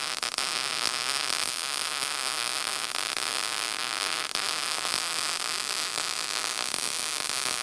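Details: Lincoln SP135 Plus MIG welder after repair of an intermittently failing gas valve: a steady, even hiss of shielding gas through the gun with a faint hum, showing the valve now opens properly.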